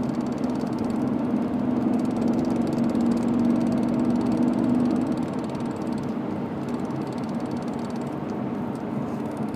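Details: BMW E39 M5 running: light tick about three times a second from the driveline, seeming to come from the shifter area; cause unknown.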